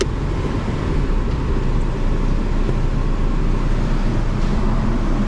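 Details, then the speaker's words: Honda idling in gear, not fully warm, scan tool showing only a slight cylinder 3 misfire: low, even idle with a smooth steady drone, no stumble or knock; running real good. "Running real good, actually. It's not that warm."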